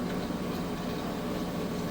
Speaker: you can see spinning super fast Max extracting the water out of those clothes nice smooth operation